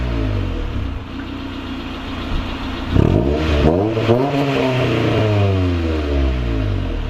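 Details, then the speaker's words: Honda CRX with eBay Spec-D catback after adding a Vibrant 2.25in muffler and small bottleneck resonator before the axle-back, original resonator kept: deep, smooth exhaust note that swells with each throttle blip and settles, no rattles or drone. It sounds clean. "And you guys heard it right now. Sounds really, really clean with the extension of the..."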